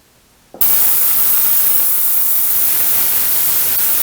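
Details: VEVOR 8-gallon ultrasonic cleaner switched on with unheated water at 19 degrees, old pulleys in the tank: a loud, steady hiss that holds even with no pulsing or dropouts, visibly moving dirt. Normal operation.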